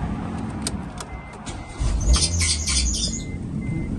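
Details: 2007 Proton Satria Neo showing 88,960 on the clock, engine and traction control lights on: quiet until the engine catches, then a few sharp high chirps ride over the rough start-up rumble; squeak on cold start, source unknown.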